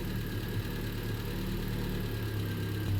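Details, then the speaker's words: Triumph Spitfire with rebuilt engine, no cooling system fitted, choke on; low, smooth, even idle about 900 RPM, no knocks or misses, maybe slightly ticky; normal idle. "running really well. Wow. Engine sounds absolutely sweet. About 900 RPM."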